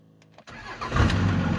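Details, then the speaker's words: 24-valve Cummins diesel truck with "No Bus" no-start: after plugging in an OBD scan tool it briefly cranks, catches and settles to a steady low idle; dies instantly when tool unplugged, intermittent electrical fault suspected. "Truck starts right up. Truck's got some real ghost problems. All right, truck is running. Scan tool plugged in."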